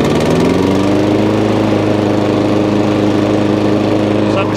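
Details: Old Hayter 56 lawnmower, bought non-running with failed drive, started on choke after adjusting the drive cable at the throttle end; engine catches, pitch climbs over the first second, then settles into a smooth, even drone, healthy running.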